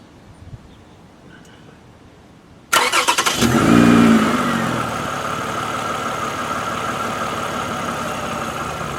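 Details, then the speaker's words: Car with suspected bad alternator (13.2 V output), battery topped up: short, brisk crank that catches within a second and settles into a steady, even idle; cranking completely normal. "Crank was completely normal."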